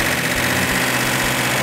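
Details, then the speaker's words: Rebuilt V8 in a fire-damaged Hemicuda (car listed with a 440 Super Commando), sat 20 years, first fire-up: a steady, even idle with a smooth low rumble and no knocks, misses or ticks, running clean, a normal idle. "i did not expect that you know i'm always excited as can be when something works like it's supposed to because it rarely does"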